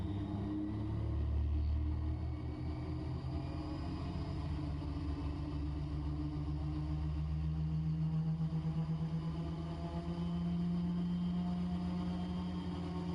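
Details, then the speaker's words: Raptor prototype aircraft ground run-up before first flight, brakes held, prop governor kicking in at full power, 43 PSI manifold pressure, EGT 1400–1600: deep steady roar climbing to a settled higher drone; normal full-power run-up. "once this thing comes up to full power, man, it really pulls on those brakes."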